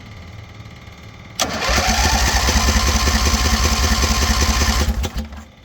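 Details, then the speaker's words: Scrap-metal V-twin rat rod go-kart on its own fuel tank with electric fuel pump: starter churns evenly about 3.5 s, roughly four beats/s, never catches; carburetor float needle stuck off float, no fuel entering: crank no start from fuel starvation. "I actually went in the carburetor and cleaned it a bit, and I found out that the needle was off of the floats. So I wasn't, even though that I was pulling gas here, I wasn't getting gas in because the needle was stuck in and it was off the float."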